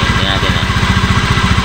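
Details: Honda Beat FI v2 scooter at idle: fast, even rattle about twelve per second from the CVT side; noisy drive traced to a loose crankcase bearing.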